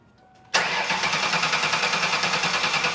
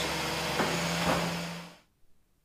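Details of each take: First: 2001 Ford Taurus cranking at about three beats a second without firing. The inertia switch is pushed in and spark is confirmed, but the fuel pump is not heard priming at key-on. Crank no start from a dead fuel pump with no fuel pressure. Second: 2001 Ford Taurus 3.0L V6 after replacing a faulty fuel pump that measured 1.2 ohms (spec 8.5–15.5) and caused a crank-no-start: engine starts and runs with a steady, even drone; normal running after repair.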